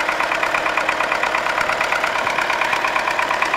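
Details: MTZ-80 tractor diesel after an injection pump overhaul knocks with sharp metallic knocks about twice a second and misfires, giving a rough, uneven idle, but runs smoothly under load; the cause is unclear.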